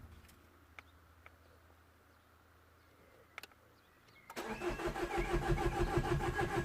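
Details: Citroën DS3 1.6 VVT petrol (5FS engine), cold, not starting since a cylinder head replacement after a broken oil pump or timing chain, new battery fitted: a steady, even cranking rhythm around three per second never catches; crank, no start.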